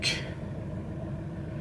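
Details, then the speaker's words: 2009 Volvo V70 (phase 2) idling with a low, lumpy, stumbling rumble, check-engine light on; scan shows P0303 cylinder 3 misfire plus knock sensor and throttle codes. "Ja, vi hör lite misständningar när han går på tomgång här."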